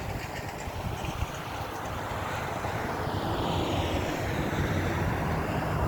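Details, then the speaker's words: 1994 Chevy C3500 HD 6.5 turbo diesel, warm restart after running for the day: a few seconds rough, then steady even idle clatter; normal, unlike the hard cold start with code 36 suspected of losing prime. "now if you was able to hear it for like the first couple of seconds say the first 3 4 seconds it ran kind of rough and then smoothed right out and then the idle is just smooth as can be it runs like it should"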